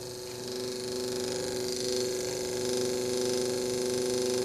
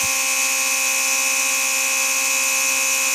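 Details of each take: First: Original defective motor from an early Mercedes 500SL R129 door-lock pump, bench run: thin weak whirring hum, then a click as it stalls under light hand pressure and needs help to restart; armature or brushes faulty, motor replaced. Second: Early-style Mercedes 500SL R129 door-lock pump with its replacement motor, bench-tested: steady high-pitched electric buzz, even, with no grinding or labouring; the pump works well.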